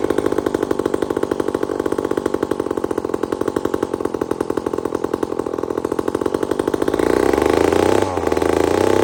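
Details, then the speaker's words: Old chainsaw with round chain, run at wide-open throttle before cutting wood: it burbles with an uneven, doubled beat instead of a clean scream. It is running fat and four-stroking until it bites wood. "So what we do is I get him to crack it wide open, and you can hear it. It's fat as all get out. It really is."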